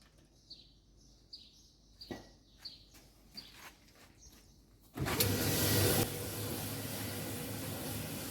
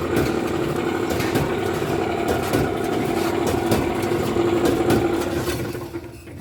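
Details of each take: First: Alliance/Speed Queen commercial dryer, tested with the door switch powered directly before the panels are refitted, after replacing the drum idler pulley, drum bearing slide kit and pulley nut. A few clicks, then a steady, even drum rumble with no loud noise: normal running. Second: Alliance Speed Queen commercial dryer running, also not heating well: loud rough rumble, steady hum and repeating knocks from a damaged drum idler pulley and worn drum bearing slides; fixed by replacing the pulley, nut and slide kit.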